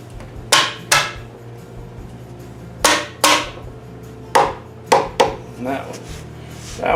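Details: Chrysler 331 Hemi FirePower engine: sharp hammer taps on the valves roughly a second apart, one sounding less solid and loose, suspected stuck valve with pushrod out of its socket.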